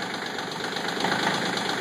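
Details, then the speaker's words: CK20 diesel tractor cold start at 37°F, owner suspects one or more glow plugs not working; harsh, uneven clatter with heavy smoke, rpm under 1000 as a cylinder fires intermittently before smoothing out after several seconds. "glow off glow on doesn't matter you can hear it pluming there's a fire fire fires plenty of smoke still not right"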